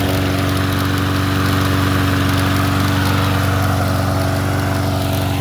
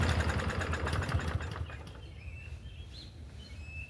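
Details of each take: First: 2015 Troybilt TB110 push mower after a used replacement carburetor, new spark plug gapped to 0.030 and valve check: starting hits the recoil, then a steady, even single-cylinder drone with no misses. Normal running. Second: Troy-Bilt TB110 push mower start attempt on little remaining fuel: ragged, uneven sputtering for a second then fades without running; rough hard start.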